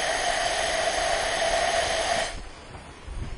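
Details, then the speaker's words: 2004 Mazda Tribute engine after overheat with no compression, second cylinder head checked; steady rushing hiss at the intake with some at the exhaust, valves not seating, intake valve leak blowing particles out. "i hear some coming out of the exhaust but man the majority of it for sure coming out of the intake it's actually blowing some little particles out yeah you can absolutely feel it"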